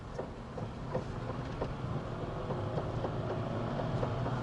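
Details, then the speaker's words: Fiat Panda while driving: a light, regular knock about three to four a second from the rear hub area over road rumble, first heard in turns; a frayed handbrake cable was binding and holding the brake shoes half applied. "стучит уже даже без поворота проблема-то оказалась в тросе ручника он протерся в одном месте и начал заклинивать то есть колодки подклинивают полуподжатые"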